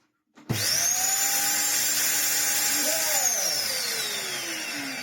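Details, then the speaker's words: 2004 UDS Henry vacuum fitted with a random replacement Vax motor that is not sealed to the base: motor spins up to a shrill, rough, raspy high whine, then winds down, with a bad smell. Harsh, unhealthy motor. "oh that sounds horrible does it actually have in the [Applause] air"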